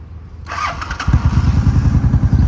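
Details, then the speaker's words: 2003 Honda Shadow V-twin started in neutral, mileage unknown: a short starter whirr, then it catches and settles into an even, low, quiet thumping idle; a clean, healthy start. "It's a Honda Shadow, so it's not gonna be loud."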